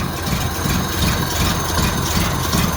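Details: 1931 Ford Model A pickup four-cylinder with a low, lumpy idle and an uneven beat, as if one cylinder keeps dropping out; the misfire was traced to the third spark plug not being fully seated.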